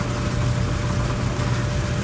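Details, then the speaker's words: Clothes dryer after cleaning the squeaking drum support wheel with alcohol: steady, even low drum rumble with faint constant motor hum and no squeak; normal operation after repair. "turn it on and see how it sounds she's quiet and she's spinning"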